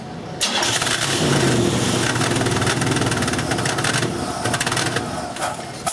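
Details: GM engine with fixed-lean O2 reading and plugged (melted) catalytic converter, previously would not idle: with O2 sensor removed, engine catches and runs loud and raspy through the open port with the restriction bypassed.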